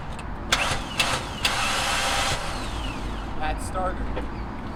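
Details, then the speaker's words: Cheap 2002/2003 Ford Ranger, not run in a couple of months, started with booster box; three sharp clicks then ragged spin before catching, starter engaging poorly, failing starter motor needs replacing. "definitely needs a new star though you can hear it it spins a little bit if you keep going back and forth you know i guess it catches runs good"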